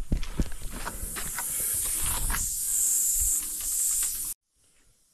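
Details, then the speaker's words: Tire on a Ford LT9000 Cat 3406B truck: steady, loud high-pitched hiss of air escaping from a puncture for about four seconds. A nail or rock is suspected, to be fixed with a plug. "I can still hear it [Music] [Music] there's a hole for [Applause] sure looks like it might just sink a plug into it"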